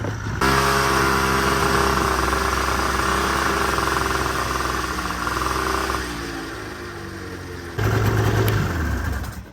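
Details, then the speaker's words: 40-year-old two-stroke snowmobile revving up, holding, then settling to idle: uneven stumbling beat throughout despite a perfect idle; misfire, with spark plugs to be checked next. "but now it misfires a lot as you can probably hear the old po po so we're going to go hopefully adjust something and fix that"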